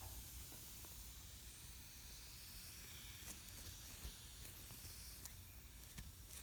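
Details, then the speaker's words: ATE T50-26 brake booster, previously rebuilt elsewhere, on a vacuum test bench: steady soft hiss with faint clicks and handling noises, booster not holding enough vacuum; vacuum leak, hydraulic side works. "we're not pulling enough vacuum can you hear that vacuum leak there it is right there"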